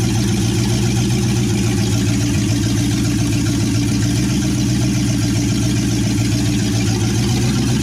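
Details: 1963 Chevy C10 with 355ci small-block V8 (350 bored .030 over), Turbo 350, reportedly low miles, second start after years sitting: loud, steady, deep rumble from open headers, even firing beat, no misses or knocks; temp gauge not working, normal idle.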